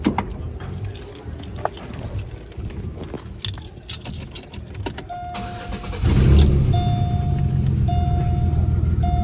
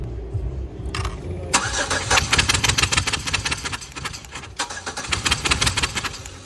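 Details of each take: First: Engine after compression test (about 120-125 psi on cylinders four and six), plugs and wires refitted: idle settles but stumbles unevenly with a steady beep overhead; misfire persists, injectors suspected, Sea Foam planned. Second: Compression test cranking on cylinder six, relay pulled: the starter churns evenly and the engine still tries to catch, reading about 120 psi against about 125 on cylinder four; even compression.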